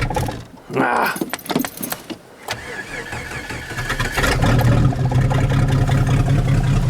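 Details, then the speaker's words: Machine that sat all summer with its battery neglected, cold start: uneven cranking for a couple of seconds before it catches, stumbles and settles into a loud, rough idle. Owner suspects a missing muffler explains the noise and poor start; unconfirmed. "Sounds like the muffler's off though. It's pretty loud. It's probably why it didn't start too well."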